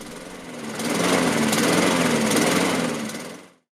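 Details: Laser (by Mountfield) 46cm lawnmower, Honda GCV135 engine, Keihin BB carburettor, before repair: starts but idle is lumpy, surging and hunting on the governor and dying out; air leak past the misaligned carburettor heat shield upsetting the mixture.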